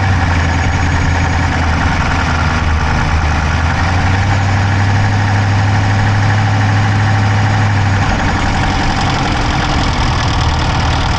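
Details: Dodge Charger Hemi V8 at idle, recorded on the driver's side of the engine bay: a quick, light ticking over a steady rumble. There is no smoke from the exhaust, so the owner doubts a dropped valve; cause unknown.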